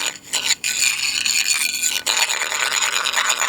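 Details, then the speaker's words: Pool-area floor tile not laid properly; steel edge scraped over it gives a dry, hollow rasp — drummy, debonded tile with edge delamination. "Very drummy there. Probably not too bad, but this still is an issue, because if you've got delamination around the edges and this tile gets heated during, the sun gets on it, it heats up, it then gets water on it, it cools down, it's going to really test the bond that's there."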